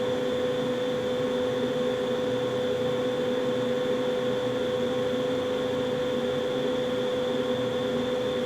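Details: Carrier furnace's first startup of the season, switching on two zones so the zone dampers may click while the inducer revs up; steady, even mid-pitch hum with no rattles or surges: normal furnace startup.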